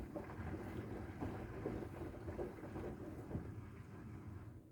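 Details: Bosch WAXH2K75NL washer, about 1.5 years old, fully loaded: low drum rumble with irregular rattling knocks only when the drum changes direction; no noise with a light load or when turning the drum by hand.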